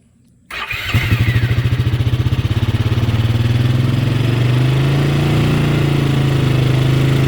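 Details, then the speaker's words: 2003 Bombardier Traxter 500 Max, first start of the day at 95°F, on choke: fires quickly, lopes unevenly a second, then settles into a fast steady choked idle, no misses, no smoke or leaks; normal cold start. "See, there's no smoke. This has no smoke, no leaks. Runs really well."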